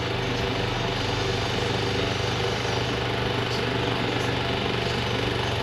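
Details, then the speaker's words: Restored late-1800s Westinghouse Tesla antique fan drawing 2.3 amps: steady motor hum with a dragging, buzzy rub and faint irregular rattle; rotor rubbing the front housing bushing, blades possibly out of balance. "Some vibrating. Yeah, cut it off for just a sec. Something's still dragging."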